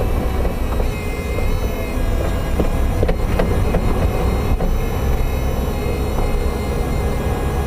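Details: Toyota MR2 Spyder, right-hand side, while driving: a few sharp, isolated clunks over steady road rumble; intermittent knock of unknown origin. Power steering pump noise also present; hood touches nothing.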